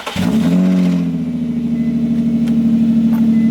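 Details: Newly bought Nissan 350Z, first start with exhaust removed, no revving: quick crank, clean catch, loud steady deep idle with open-exhaust rasp; healthy.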